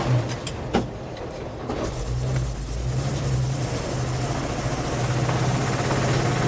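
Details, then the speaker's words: 1952 REO M-35 army truck driving on the road: uneven knocking about four per second under a steady low drone. The driver first feared rod knock but thought it did not sound like the engine. Knocking from loose part underneath. "so right around here you hear this noise that sounds sort of like be a knocking noise now in the moment I was like that sounds like you could be Ro rod knock"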